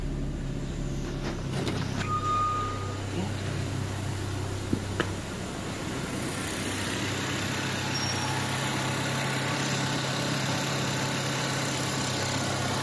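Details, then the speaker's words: Renault Twingo 8v petrol engine after engine repair, new battery fitted, first start: settles into an even, steady low idle with no tapping or misses; normal idle. "Y ya, venga, les muestro cómo lo prendemos. Testigo de aceite, batería y allí prendió."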